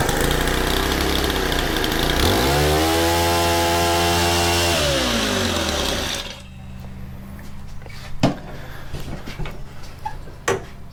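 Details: Honda FG110 tiller with GX25, new Amazon carb fitted by owner, started with primes: revs climb unevenly, hold briefly, then bog and die after about six seconds; suspected untuned carb mixture, excess oil in filter.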